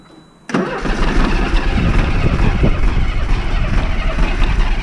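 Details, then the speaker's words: Diesel bus in freezing cold, no Easy Start: after a brief pause it catches abruptly and runs loud and uneven while air purges; fuel return found wet and actively dripping when running, letting air into the fuel system, pump needs priming. "And I could see actively dripping when the engine was running. So, that's where air is getting in."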